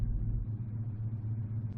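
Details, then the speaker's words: 1985 Chevrolet Silverado K20 4x4, carbureted V8 idling about 650–700 rpm: deep uneven lumpy idle with slight stumbles, audible in exhaust, smooths above about 800 rpm; owner blames the carb, plans to replace it. "the carb runs perfect other than when I'm idling right here I mean it's just um it shakes kind of weird you can hear it in the exhaust Lo"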